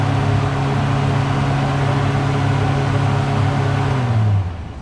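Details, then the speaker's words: Newly installed Paasche airbrush spray booth belt-driven exhaust fan, first test run: loud steady roar and even hum with powerful suction, no rubbing or rattle, smooth spin-down; normal running. "That's some really powerful suction. It's very loud, but it's great."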